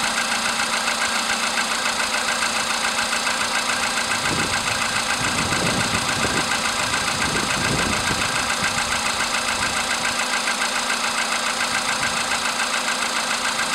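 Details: VW Polo sedan with CFN engine, cold start in the morning after a night at about 10°C outside: quick, regular ticking knock three to four a second over the idle hum; engine knock, source not pinned down.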